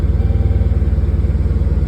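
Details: Dodge Charger idling after P0340 camshaft sensor fix: connector rewired, sensor replaced, check engine light cleared; previously slow to start, now fires right up; steady evenly spaced low pulses, no misses or knocks, healthy idle.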